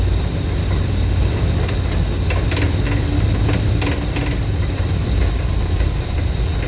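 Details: 1983 Dodge D250 318 after swapping the Carter Thermoquad for an Edelbrock 600 carburetor: deep, wavering, fluctuating idle with scattered backfire pops and a light rattle; cause unknown, owner plans timing, plugs, EGR checks.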